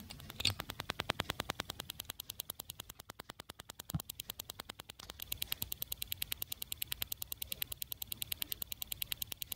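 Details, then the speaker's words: FenSens wireless ultrasonic parking sensor held up to the microphone indoors: sharp, even ticks roughly three per second, audible only up close; sensors clicking normally while working. "And the sensors are kind of clicking or ticking. Can you hear it?"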